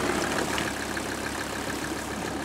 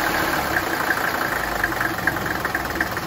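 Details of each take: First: 1985 Mercedes 300 turbo diesel wagon, after lift pump rebuild, idling about 30 minutes outdoors: warm, steady even tick-over, no stumble or knock, hardly any smoke; normal idle. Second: 1985 Mercedes 300 turbo diesel wagon, five-cylinder, cold after sitting overnight, before repair: starts, runs a few seconds, dies and is recranked, repeating until warm; fine when hot; worn lift pump check valves starving fuel.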